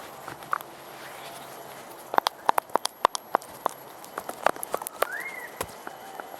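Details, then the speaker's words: Removed worn rear upper control arm from a Toyota Tarago/Previa/Estima (TCR) van, rocked by hand. Sharp, irregular clicks and knocks from the completely stuffed, sloppy joint: worn control arm bushing clunk. "Alright, that's the old controller arm, upper controller arm. You can see that's completely stuffed. I wonder if you can hear the noise there."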